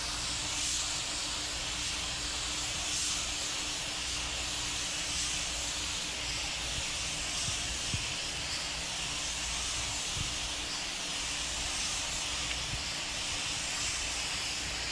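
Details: Normal spray gun operation: just-cleaned Harbor Freight gun at 30 PSI priming an 81 Corvette hood; steady, even rush of air and atomised primer, constant, stopping cleanly at the end.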